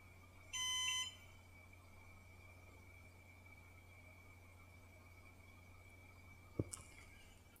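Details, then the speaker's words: Synology DS415+ NAS with four 4TB WD Red drives at first power-on, microphone about 2 ft (0.5 m) away: short beep, then only a faint steady hum and a thin high tone as the drives spin up. Normal, quiet boot. "as you can hear from that audio test it is pretty quiet I don't know if it will make more noise as it's uh accessing the discs"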